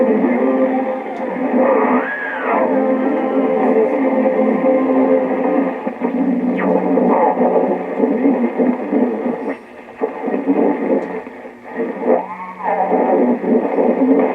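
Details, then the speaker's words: 1925 RCA Radiola 20 TRF tube radio with battery eliminator: thin, tinny music with droning hum and howling tone swoops; microphonics, cabinet resonance vibrating the tubes into oscillating feedback. "hear that hum that's the vibration of the tubes it's called microphonics the vibrating of the tubes from the base of the radio is causing the cabinet to resonate and it makes the tubes vibrate and then they start giving feedback oscillating and feedback and will start to hum like that"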